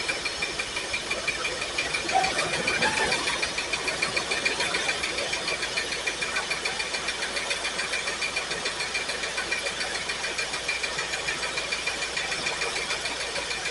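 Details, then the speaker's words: Pontiac Firebird, carbureted V8, first start after fuel tank install and fresh fuel: uneven lumpy idle stumbling three to four beats a second, a couple of cylinders down; cylinder 8 dead on plug-wire check, another weak; cause suspected, unconfirmed. "That one's contributing. That one's contributing a little bit. It's not great, but that one's firing. This one's dead. This number 8 is bad."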